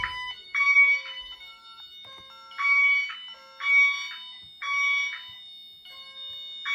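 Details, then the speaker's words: Fire alarm system test after tripping a smoke detector: a Honeywell Wave driven by a chime tone driver connected to the Links gives five bright electronic tone bursts, each about half a second, roughly one per second; normal chime tone. "However, the reason why and I'm consider it relevant is because this particular wave is actually going to be used as a chime because I have a chime uh tone driver hooked up to it connected to the links. So, I'm going to be using that as the chime."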